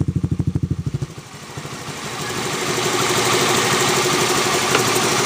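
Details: Honda Zoomer-X scooter engine: quick cranking burst, then idle with a light steady ticking on top; valve tappet clicking, fix is tappet adjustment.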